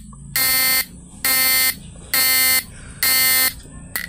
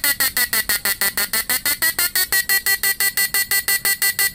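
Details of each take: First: Fish-stunner PDC 4-FET inverter with air-core inductor coil and buzzer: loud buzzing tone switching on and off about once a second; flip-flop mode pulsing slowed because the 1N4148 diode in the flip-flop module was removed. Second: Repaired PDC 4-FET mini stun inverter with replaced PWM, under load, capacitor changed to 50 V 10 µF electrolytic: sharp high buzzing beep pulsing evenly about three times a second at steady pitch; normal slow pulsing.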